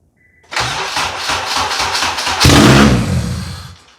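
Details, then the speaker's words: 1996 JDM Honda CR-V RD1 AWD with swapped K24 engine on Hondata KPro, first start: cranks about two seconds, catches with a sharp rev, then dies within a second; failing ignition switch cutting the ignition. "well this thing would be running now if it wasn't for this ignition switch failing in here"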